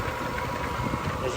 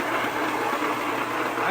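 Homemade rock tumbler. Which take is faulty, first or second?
second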